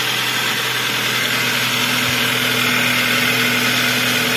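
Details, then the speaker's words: Toyota Avanza after overheating, valve clearance adjusted, noisy in the morning: fairly steady idle with a light regular metallic knock about three a second; piston slap from overheating, earlier irregular timing chain noise gone. "fokus sudah jelas kalau yang bunyi metal yang bunyi piston gitu sudah mulai beraturan"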